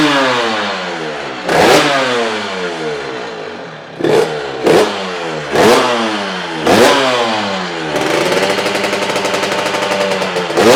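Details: Honda RS 125 GP two-stroke started after 20 years, with the carburetor cleaned and a new exhaust fitted; crisp, ringing blips rise and fall cleanly, then hold a steady high buzz with no misfires, so the engine sounds healthy.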